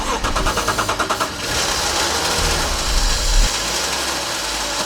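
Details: BMW E46 coupe that would not start, starting fluid sprayed into the open airbox: the starter churns in quick even beats, then the engine catches and runs roughly, confirming a fuel delivery fault (fuel pump later replaced).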